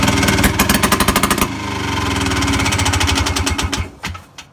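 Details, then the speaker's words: Harley engine in a golf cart, run without any exhaust muffler before a turbo-type muffler is fitted: a loud, sharp crack like a .22 pistol on every firing stroke, about three per second. "every cycle the engine sounds like a fire of a 22 pistol"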